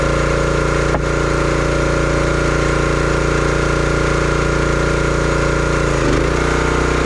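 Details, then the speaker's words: Brute 30-ton log splitter, Briggs & Stratton engine (9.5 ft-lb gross torque, roughly 5–6 hp), brought in as a no-start: steady single-cylinder thrum holding speed, brief dip as splitting load comes on, quick recovery; running healthy. "But everything seemed to work good on it. It ran really good for a few chunks of wood,"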